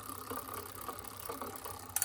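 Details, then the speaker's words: Shimano rear derailleur, cable tension deliberately increased so the chain rubs the 4th sprocket, being turned back in half-turns while pedaling: light rhythmic chain ticking and rattle, better but still noisy. "Now that sounds a lot better, but it's still making a noise, so I'm going to give it another 1/2 a turn back to as it was."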